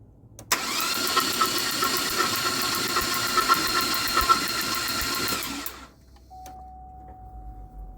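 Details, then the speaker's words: Buick LeSabre V6 cranked with the rear three spark plugs out, checking for coolant in rear cylinders (plugs wet with fuel, no coolant seen): fast, even whirring spin for about five seconds, no catches or knocks; turns over freely, normal. "Okay, everyone. We're just going to crank it to see if there's any coolant in the rear cylinders."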